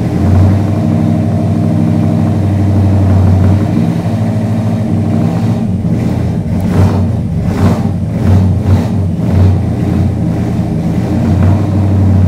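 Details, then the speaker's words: 1973 Chrysler Newport Custom 400 big-block, carbureted, first start after sitting three months with the mic at the rear: lumpy, loping cold idle with a few throttle blips, oil pressure up to 75 psi, still unsettled and rough. "oh still a little angry it's almost there that wasn't bad"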